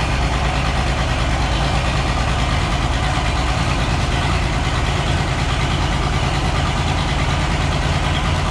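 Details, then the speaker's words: Oliver 1650 diesel tractor, first start after sitting about three years, fresh battery: heavy, lumpy idle with uneven, stumbling beat and lots of smoke, not running on all six cylinders; misfiring, needs at least injector work. "And yeah, you can see it at least needs injector work. She's making a lot of smoke, not running on all six."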